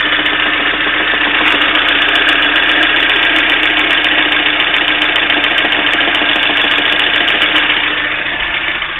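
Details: Steady idle with a sharp metallic tapping, about three to four knocks a second, over the engine note; engine knock, cause unknown.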